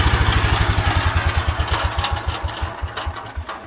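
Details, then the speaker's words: 1972 Wheel Horse Raider 12 lawn tractor after governor repair and idle adjustment, now idling well: single-cylinder thumping about three beats a second, slowing at shutdown, with a loose rattle on each beat; rattle source not found. "I wish I could find what that rattling noise is."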